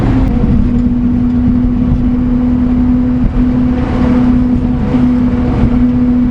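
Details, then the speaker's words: HiJet S83P mini truck with a load of wood, driving on new Maxxis MU07 Ceros 23x8R12 mud tires: steady low hum, quieter than previous tires, no roar or thumping; normal tire road noise. "They seem a little quieter already. Now they do hum a little bit, but I gotta tell you, I have a decibel meter I should have put in here."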